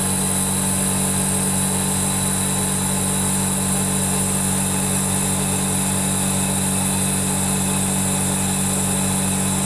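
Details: Zanotti refrigeration unit after capillary replacement and brazing, running on gas defrost: compressor and fans hum steady with constant tone, no knocks or rattles; coil previously iced only on the top half or third. Running normally.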